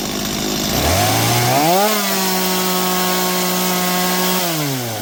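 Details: Stihl MS230 chainsaw that was hard to start: it races straight up to a steady screaming runaway rev with no throttle input, then sags. The trigger slips into half or full choke despite cleaning and oiling, and the stop switch doesn't work.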